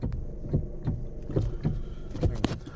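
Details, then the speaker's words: 2013 Hyundai Elantra, engine running, steering wheel turned: dull, uneven clunks about two a second thump through the column and jerk the wheel. Cause is a worn star-shaped steering shaft coupler inside the power steering motor. "it is a $5 piece maybe $10 it's a steering wheel coupler it's about this big and it's shaped like a star"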